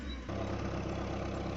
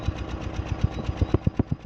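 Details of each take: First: Suzuki Swift 1.3 engine idling after misfire repair; the engine now runs with a steady, even low thrum and no stumbles or skipped beats, a smooth idle with the missing cured. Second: Suzuki Swift 1.3 engine idling unevenly, about eight thumps a second with some beats louder: misfire, attributed to moisture from a strong water jet.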